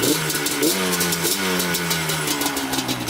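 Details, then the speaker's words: Yamaha Banshee 350cc twin two-stroke after cleaning both carburetors (before, one cylinder not running, one carb leaking): crisp ringing revs climb and fall cleanly with no bogging, both carbs set alike and pulling evenly, one cylinder smoking slightly less; healthy. "very very crispy now so it's definitely gonna rip"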